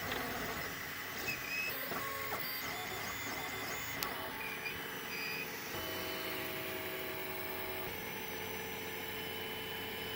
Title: Squeaking Sound on 3D Printer